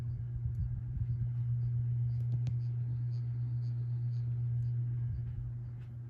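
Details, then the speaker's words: 1987 View Fan Spinner V36R 36-inch ceiling fan, a cheap model known for poor bearings and cyclic flux noise, on low speed, powered from the outlet; the canopy vibrates. Steady, slightly buzzy low hum, no bearing rumble, ticking or cyclic flux noise. "Low speed's about average. I actually do like this low speed. It's pretty hummy. But there are no cyclic flux issues, and no bearing noise to be heard."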